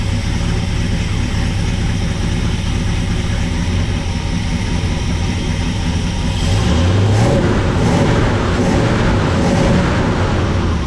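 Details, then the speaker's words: 1974 Ford F100 4x4 390 FE big-block V8, timing about 10°, fuel pressure about 4.5 psi: lumpy, uneven idle rumble then a slight rev; seems extremely rich, owner suspects a clogged, wet breather element. "still just seems extremely rich to me I don't know why"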